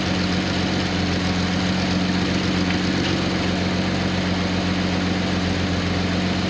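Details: Nissan 280ZX L28 engine on a test stand at idle, with a single-wire narrowband O2 sensor on a voltmeter: a steady, even low hum with no misses, knocks or hiss. A vacuum leak found by smoke testing is resolved, with vacuum near 20 inHg.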